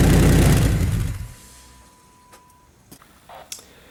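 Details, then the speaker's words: Truck with aftermarket MagnaFlow dual side-exit exhaust started up: loud, deep exhaust roar as if no muffler, from a crack at the muffler joint/seal, rumbling like straight from the headers; fix planned with an exhaust repair clamp. "I just want to start up the vehicle and you guys can hear how [ __ ] loud this thing is with it cracked right there great it's pretty loud on its own but because it's cracked it like you know it's like uh almost no muffler on there at all right now"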